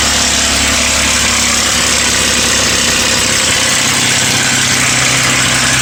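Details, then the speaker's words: Ford Mustang 4.0 V6, knocking began around 120k miles: steady idle with a fast, light rattling knock from the front timing area under the hood; owner almost certain of a broken timing chain guide (cassette), engine being replaced. "Basically, I'm pretty sure that we have a bad timing chain guide, or cassette, like they're sometimes called."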